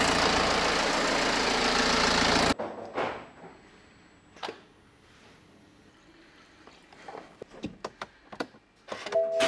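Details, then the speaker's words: BMW E92 320d after timing chain, rod bearing and head overhaul and new engine ground cable, first start: about two seconds of even diesel rumble, then shut off and handling clatter; starts nicely, runs smooth. "so I cleaned up a bit and Moment of Truth will this car drive I mean it's start super nice though"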